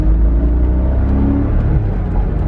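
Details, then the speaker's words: Porsche 986 Boxster S six-speed manual, first start and drive after sitting 10 years; at full throttle it manages only 35 mph, with a heavy, rough low rumble that never smooths out, apparently running on about four cylinders. Misfire under load; owner suspects cylinder 3/5 coil packs or a mouse nest clogging the airbox. "yeah it's definitely running on like four cylinders so is there some junk in the airbox clogging the air intake into the engine"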